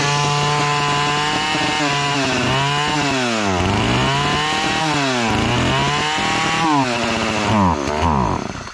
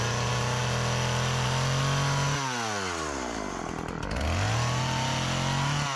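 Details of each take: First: Partner chainsaw (listed as a 405, model uncertain), two-stroke, cover off: revs surge then sag as the trigger is squeezed and it bogs, though it revs on choke; owner suspects fuel starvation or a dirty carburetor. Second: Old Partner 405 two-stroke chainsaw, repaired of stalling on throttle, sharpened chain, just refuelled after running out of gasoline, cutting very hard almond wood. Pitch drops as it bogs in the cut, then climbs back to full revs. It cuts well; the almond is hard going.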